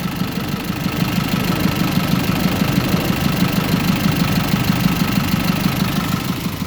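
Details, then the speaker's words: 2005 GMC box truck started up: steady, even idle rumble with no knocks, misses or squeals; starts right up, engine healthy. "I'm going to start the truck up now. It starts right up. No problem."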